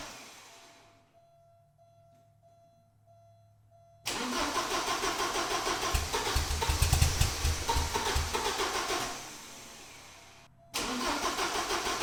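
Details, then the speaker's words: 1986 Porsche 944 after fuel injector work, battery just reconnected: even cranking at about three and a half beats a second with no catch. It fired once briefly, then never again; the pulled spark plug was dry. Crank no start, cause not yet confirmed. "as you guys just saw when I was cranking it it did fire for a second and then from then on all the cranking was just that cranking no signs of firing at all"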